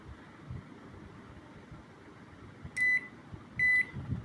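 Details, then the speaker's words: Electrolux microwave control PCB, repaired and bench-tested on a 1-minute cycle with a switch shorted: three short clean high beeps about a second apart; normal end-of-cycle signal. "দেখুন complete হয়ে গেছে, beep sound দিচ্ছে।"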